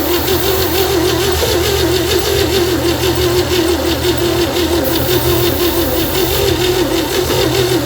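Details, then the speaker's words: 1960 Chevy C10 with 235 engine, sitting about 40 years, plugs cleaned, spark present: long cranking with ragged, uneven firing bursts that never catch; owner suspects very weak compression. "Well, it's trying to fire. I think our compression is just so weak."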